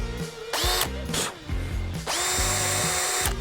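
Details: Cordless drill on a DIY test rig after being soaked with water, three-second trigger bursts: motor whine rises quickly to steady pitch and spins down cleanly each time; drill still runs normally despite water inside the body.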